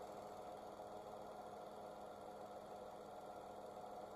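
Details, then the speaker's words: Dacia/Renault 0.9 Turbo petrol, 155,000 km, idling after NGK Laser Iridium spark plug replacement for hard cold-morning cranking: quiet even idle, steady low hum, light valve-train ticking, no stumble or miss; runs smoothly. "So this was the test. The engine starts. everything runs smoothly."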